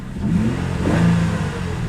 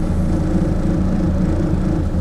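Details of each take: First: Salvage auction car, engine light and traction control/ECS warnings after a crash, engine light went out: short clean blip, revs rise smoothly and fall to steady idle with no knock or miss; normal rev. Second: Cold carbureted car at salvage auction, choke pushed off: low lumpy idle barely hanging on, near stalling; rough idle because the engine is cold-blooded and not warmed up.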